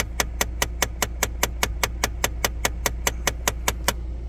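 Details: 2016 Jeep Compass: sharp, even clicks about five times a second from the dash vents over a faint fan hum when A/C recirculation is selected, a faulty blend door actuator.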